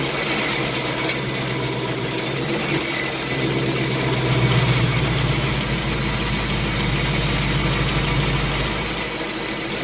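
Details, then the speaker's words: 2018 Mustang GT Gen 3 Coyote V8 with about 3,200 miles, cold start, exhaust in quiet mode, parked in a garage near a wall: a light, quick intermittent tick of about four per second over a steady idle, the typewriter/BBQ valvetrain tick. "well I started hearing as an auto down an intermittent tapping or a ticking issue"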